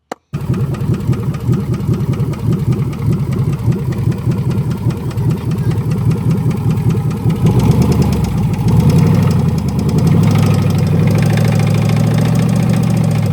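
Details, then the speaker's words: Junkyard 5.3L V8 on a homemade pallet test stand with Amazon harness, P01 ECU and added fuel pump: starts into an uneven, loping idle with irregular pulses, then surges as revs rise; rough running, didn't go as planned. "As you can see, it didn't go as planned. Bummer, but that's part of the deal when you buy engines from a junkyard."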